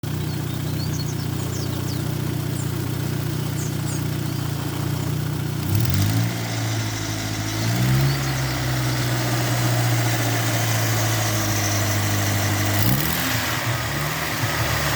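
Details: Steady low idle with a light, quick ticking riding on top and keeping pace with engine speed: lifter tick from noisy hydraulic lifters, heard as engine noise.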